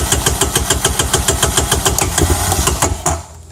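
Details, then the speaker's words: 2004 Honda Recon 250 ES single-cylinder Keihin carburetor, before rebuild: uneven putter of about three and a half beats a second that dies after three seconds when cold without throttle; hard starting, runs fine once warmed with gas; cause suspected, not confirmed. "it runs fine especially once it warms up but it's just hard to start so you crank it up and it dies"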